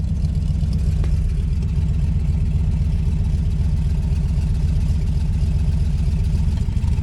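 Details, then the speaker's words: 1953 Ford truck, first run since 1994 on junkyard parts with new side-pipe exhaust: deep, even V8 burble at idle, steady low rumble, no misses or knocks; normal healthy idle. "That sounds remarkably good for junkyard parts. Oh, I can. Yeah, she sounds healthy. That's a good sounding exhaust right"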